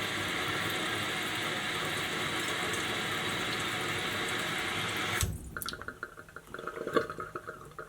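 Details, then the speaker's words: Kohler toilet with canister fill valve, after adjusting the screw to stop constant running; water rushes into the tank for about five seconds then cuts off cleanly to quiet drips, fill valve shuts off properly. "now we're going to wait here for the water to rise and it should stop at the proper water level so let's just see if the adjustment was correct"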